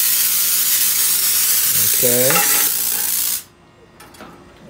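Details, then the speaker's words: Spark-gap Tesla coil unbalanced after a capacitor plate was placed on top: loud harsh hissing sizzle and screeching at the spark gap, not in tune. Detuned Tesla coil spark gap sizzle. "so right now this is I believe up too close so you can hear it screeching over here at the spark gap"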